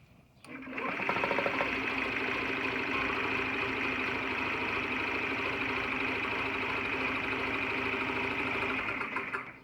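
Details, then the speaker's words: 2009 Honda Metropolitan CHF50 scooter after sitting: new battery, fuel pump, filter and carburetor, about 135 psi compression, spark present. A steady high starter whirr with even cranking pulses for nine seconds, never catching; cranks but won't start. "and I cannot get it to fire off at all it doesn't even want to kick off the fire"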